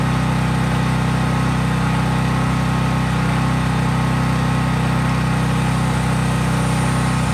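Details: Craftsman 5000-watt portable generator after a cold start outdoors, running at fixed full speed with only an LED bulb connected, so no load: a constant, smooth, low drone with no ticking or surging. Normal no-load running.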